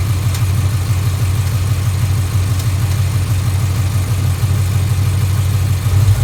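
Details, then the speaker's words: 2011 Mustang GT 5.0 Coyote, new Gen 2 short block with reused Gen 1 heads, ~7,000 miles since rebuild, E85: V8 idle with rhythmic tick or knock about three per second; golden metal flakes in oil, owner unsure if rod knock or tick. "motor as you see I've only put about [Music] 7,000 miles on it and listen to it it's got a pretty good tick to it let me see if I can capture it for you"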